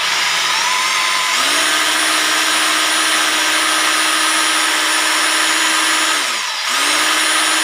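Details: Rotary hammer drill after home repair (broken bearings, dust seal replaced) test run; smooth steady high whine at constant pitch, winding down once and straight back up, no rattle or grind: healthy normal running.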